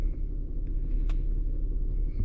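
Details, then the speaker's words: Infiniti G35 with a P0021 bank 2 VVT solenoid code: low, smooth, even idle at about 600 rpm with no ticking or stumbling; running smooth. "we are idling at what is that about 600 RPM so she pretty yeah she pretty smooth right now"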